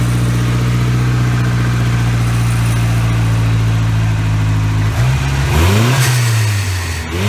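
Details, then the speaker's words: After a new turbo install, the blow-off valve is tuned correctly (running low PSI until the fuel pump is upgraded). On lift-off after holding revs there is a clean, solid whoosh with no flutter, meaning no compressor surge. "you see how that sounded like a it's a solid like whoosh sound not like a flutter or anything like that that's how you want them to sound"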